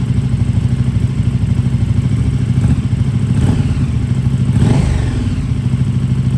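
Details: KTM RC8R with a swapped 2020+ third-gen 1290 Super Duke engine and electronics, first start after the swap: deep, even idle with throttle blips rising and falling cleanly, no knocks or misses; normal idle and revving.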